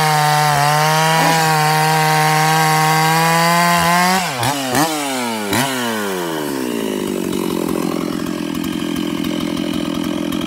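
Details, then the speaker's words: Old chainsaw at full-throttle high rpm: steady scream that stumbles and flutters, dropping out three times as if rev-limited; the cause was a bare spot on the kill wire shorting out. "it wouldn't really do it while it was running before but the high rpm it would sit there and kind of flutter almost acted like it had a limited coil and there's no way that the old saw has a limited coil on it"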